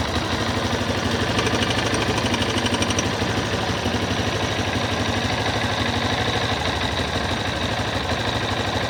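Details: Yamaha XTZ 250 Lander: steady single-cylinder idle with a sharp, regular tick about three times a second over the exhaust beat. The cause of the strange engine noise has not yet been identified.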